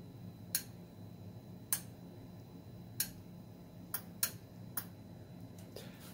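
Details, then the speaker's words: BK Precision 1735 0–30 V 3 A linear bench DC power supply, passively cooled: sharp single clicks at uneven gaps over a quiet hum as voltage is adjusted; relays switching at certain voltage ranges, normal. "and I forgot to mention that the you'll hear various clicking sounds when you go through certain voltage ranges"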